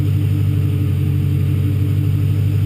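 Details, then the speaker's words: Engine just after a TPS sensor replacement, with the throttle stop screw set to about 20.4% on the scan tool: a deep, steady drone well above normal idle with no hunting. High idle from the throttle stop screw being over-adjusted. "Doesn't sound bad. Doesn't sound like it's way over red. That's too high."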